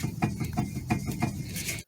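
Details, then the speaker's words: Vehicle that clunks when driven; four dull, hollow clunks as the steering linkage is rocked by hand. Play felt inside the inner tie rod, not the outer, suggesting a worn inner tie rod or steering rack. "See, I'm moving the outer and inner tie rod, and it seems like the clunk is coming from inside and not from here, from outside. When I move the whole thing, I feel like it has too much play inside, too much wobble."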